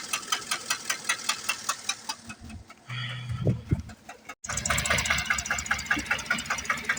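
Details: 2008 Chevrolet Tahoe 5.3 engine at idle: sharp, fairly regular tick about two to three times a second over the idle; engine ticking of unknown cause.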